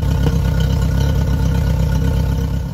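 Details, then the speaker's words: Yamaha F50TLRB 50 hp four-cylinder carbureted four-stroke outboard, fully warmed, throttle slowly raised off idle. Uneven lumpy beat whose stumble frequency follows rpm. Plugs and ignition were checked good; carburetor fuelling suspected, unconfirmed. "just coming off idle now and we'll slowly increase the throttle the frequency of the stumble is consistent with the RPM we go higher"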